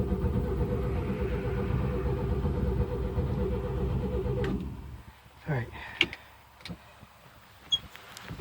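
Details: 1972 Chevy pickup sitting a long time after a tree fell on it, cranked to pump fuel through; owner suspects fuel filter. Steady low starter churning for about four and a half seconds, stopping without catching: cranks but won't start.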